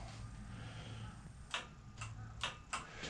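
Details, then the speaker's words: Roadside Razor E300 scooter, original rusted 24 V motor and chain run on 36 V: sharp irregular clicks over a low hum as the motor strains, too slow and no torque; seized, jammed motor. "motor is just completely jammed up you can hear it click a little it tries to roll it's obviously way too slow and has no torque it won't even move anybody from a standstill so uh it needs to be fixed"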